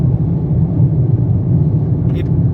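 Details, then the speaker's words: New 2023 Toyota Corolla with 2,500 km on its first highway trip, microphone in the cabin: constant heavy low drone with rough rumble, tyres on asphalt clearly audible; owner blames poor acoustic insulation for excessive cabin road noise. "o barulho é ensurdecedor. Já tive outros Corollas, mas essa última versão resolvi trocar. Comprei esse novo, tá com 2.500 km. Mas fui surpreendido com esse barulho interno. Você ouve o pneu no asfalto, carro realmente muito barulhento internamente."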